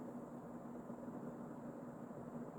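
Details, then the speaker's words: Early-mid 1980s Emerson Casablanca Designer 36" plastic ceiling fan CF-2036W, K-55 stack motor, on high, blades in perfect balance: soft steady whoosh with faint even hum, no ticking or wobble; normal running. "The blades are like also in perfect balance. So I don't know if Andrew balanced it before or if that's just pure luck. It does not wobble at all."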